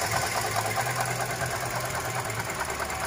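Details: Toyota Grand New Avanza with 1NR-VE engine at idle: rough, regular knocking about twice per second, loudest at the alternator when checked with a stethoscope against the water pump; traced to the alternator, worn bearing or shaft suspected.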